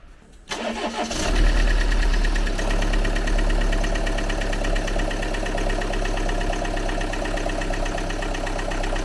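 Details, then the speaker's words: Used car, possibly standing a long time, restarted: quick start, then fast, even light ticking about three to four per second over idle; suspected hydraulic lifter short of oil, ticking disappeared shortly after. "Možná dlouho stojí to auto, ale stejně, to už by mělo být pryč na zvuk. Chvíli, kdyby málo mazal ten motor, veď?"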